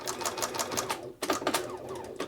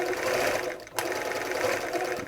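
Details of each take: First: Bernina 930 Record Electronic sewing machine, basting stitch not unlatching the needle bar: sharp, hard clacks about six a second, too clacky; suspected engaging mechanism needing lubrication, not confirmed. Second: Bernina 930 Record Electronic sewing machine, threaded and stitching zigzag at steady speed: an even, fast clacky mechanical clatter with no grinding or knocking; it sounds good, with top tension slightly loose.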